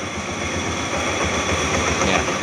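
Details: Honda Beat automatic scooter started by remote after fitting a Bohante alarm, key removed: steady, even idle with no knocks or misses; smooth, healthy normal idle.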